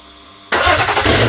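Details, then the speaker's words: BMW M57 diesel for a Land Rover Defender swap, first start on an engine stand with no exhaust pipe fitted: quiet hum, then sudden catch into a loud, raw, uneven unmuffled roar. "sounds like a bit of a pig at the moment because there's no pipe in the box"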